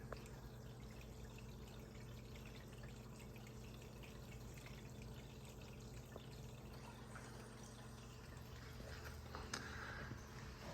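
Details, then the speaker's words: 180-gallon Planet Aquariums Mega Matrix with external BeanAnimal overflow, Gyre pumps off and only the return pump running: quiet even trickle with low steady hum, no gurgling surges; overflow level steady, running smoothly. "I can live with this noise and I'm actually pretty happy with this the flow in the sump seems to be pretty good in the return I'm sorry the Overflow level stays very steady"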